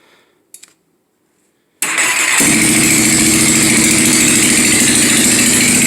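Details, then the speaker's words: 1997 Yamaha Warrior 350 quad with stage 2 cam, full DG exhaust and rev limiter delete, started in neutral: engine catches at once and settles into a steady idle; runs well apart from an exhaust leak, slight backfire, carburetor possibly mis-set. "Fires up every time. Other than that exhaust leak, the thing runs good."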